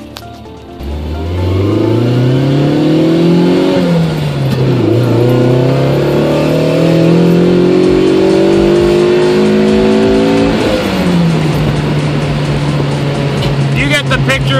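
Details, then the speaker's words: Warmed-up 20-valve Silvertop 4AGE Corolla after ECU capacitor repair, test drive: engine pulls cleanly through the gears, pitch climbing smoothly past high revs with no cut at the former 4000 rpm limit; running properly. "doing over the speed limit so I'm not going to keep filming this cuz I don't want to get in but you get the picture it's running fine"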